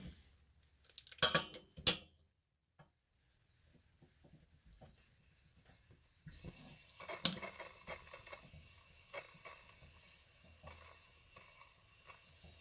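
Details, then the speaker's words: Coleman 228E lantern after a teardown and reassembly for a halo problem, with new string-tie mantles and the generator warmed; after some handling clicks, a soft, steady hiss without sputtering shows the fix worked and the burner runs normally. "let's turn it on friends it looks like looks like that fixed our problem"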